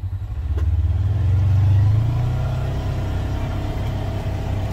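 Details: Polaris Ranger XP 1000 Crew after two years of ownership, pulling away from a dead stop in high gear: engine builds smoothly with no slipping, squeal or judder; CVT clutch engagement sounds normal, clutch still in great shape.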